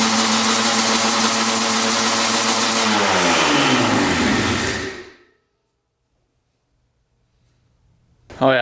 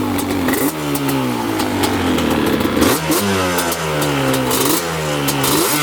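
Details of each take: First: 1995 Yamaha Banshee 350 two-stroke twin, first start after 18 years in a barn, fresh 40:1 premix: fast, busy idle, then revs sag and it shuts off. Idle set too high, about to be adjusted. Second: 1995 Yamaha Banshee 350 two-stroke twin, revived after 18 years in a barn, water just pushed out: revs climb quickly and drop back cleanly several times with no bogging or misfire. Healthy, pulls strong.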